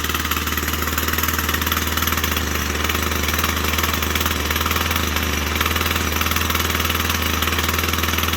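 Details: Husqvarna 122C two-stroke trimmer on 50:1 premix, just started cold with the choke now fully off. Steady buzzy idle with an even rapid beat, no surging or dying, while it warms up; normal idle during warm-up.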